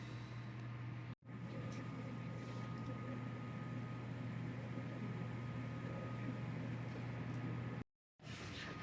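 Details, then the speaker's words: Newly installed water source heat pump at an urgent care clinic, running right after power wiring and control cable were connected: a low, steady hum with a faint higher tone, nothing knocking or rattling; very quiet, healthy operation. "Okay, and she's running. She's very quiet."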